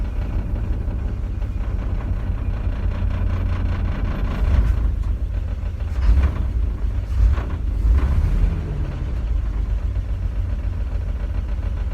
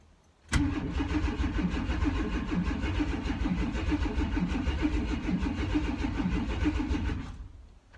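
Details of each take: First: S10 Blazer that sat for five years, first start after a new Delphi fuel pump replaced a dead-on-arrival Walbro, with the fuel filter replaced: low, steady idle rumble with a brief rev blip, settling back to an even run; it idles normally. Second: S10 Blazer sitting five years, new fuel pump priming: about seven seconds of steady starter cranking at roughly three turns a second, never catching; cranks but won't start, fuel reaching engine uncertain.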